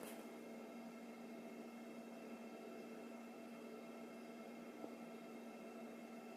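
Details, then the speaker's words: Custom comms cabinet fans at maximum after the switch's self-checks, likely its loudest, about 42 dB measured: soft steady whir with a few fixed tones staying level; cooling fans running normally at full speed. "So that's about 42 decibels. Yeah, about 42. So 42 is quite a high."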